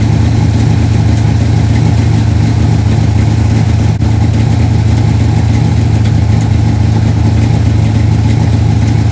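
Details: 1968 Pro-Street Dodge Dart GTS with tunnel ram, first start of season: lumpy V8 idle with uneven beat about three times a second, missing because one plug wire fell off the distributor.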